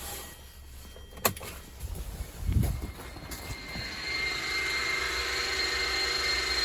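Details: Hyundai Sonata YF LPI that would not start, heard with the boot open and ignition on: a few clicks, then a steady electric hum from the LPG tank pump with no working pressure; its plastic housing was broken.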